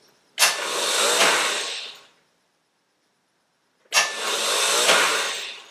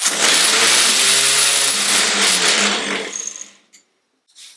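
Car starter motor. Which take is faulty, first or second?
first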